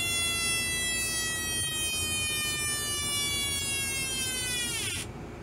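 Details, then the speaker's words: Homemade 1972 siren oscillator with an out-of-spec 470 µF timing capacitor: clean wail glides slowly down for about five seconds; too slow for a police siren, would make a decent civil defense siren. "not a police siren but but it would make a decent civil defense siren"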